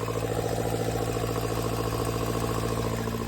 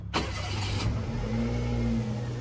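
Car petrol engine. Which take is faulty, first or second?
first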